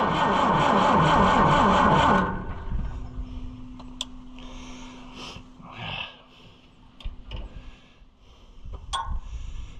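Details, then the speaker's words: Oliver 550 diesel tractor, ether sprayed in, injection lines being bled: about two seconds of steady cranking, around four compressions a second, stops without catching; won't run on ether, likely no fuel reaching it. "What's weird about this one is that other one would run off of ether, but I agree, usually you have to have a little bit of fuel up there for it to do that."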